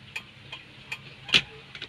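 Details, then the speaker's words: Kia Bongo turn signal tested after the wire was reconnected: steady light flasher ticking, about two to three clicks a second, with the left signal working normally. "Ah subukan natin kung magsi-signal ba siya. So nagkaroon na siya no kaliwa naman."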